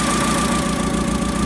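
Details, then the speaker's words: Caterpillar V50D forklift with hard cold-start complaint, idling after starting: lopey idle with a steady stumbling beat and uneven rhythm; one cylinder missing at idle, cylinder balance test shows one cylinder not contributing. "I don't know if you can hear this in the camera but there is definitely a mire on this engine so what I'm going to try to do is do a cylinder balance test"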